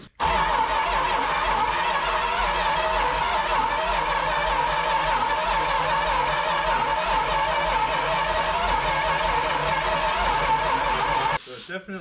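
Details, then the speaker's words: 1973 Dodge Dart 340 V8 with headers, after new battery cable, used carburetor with bowls filled and distributor unchanged: starter spins strongly and steadily about eleven seconds but it never fires; suspected spark problem, slightly uneven compression possible. "all right absolutely nothing a spark problem yeah"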